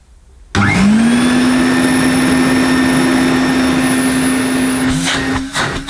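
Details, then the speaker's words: 1980 Hoover Constellation 867A floating vacuum cleaner, suppressor removed, motor run with top off: spins up fast to a steady high hum with a clean whistle, no rattle or scraping; sounds slightly different from an earlier Constellation but healthy. "Well, I'm pretty pleased. That sounds good. I think it sounds slightly different to an earlier Constellation, but I don't think there's much wrong with this."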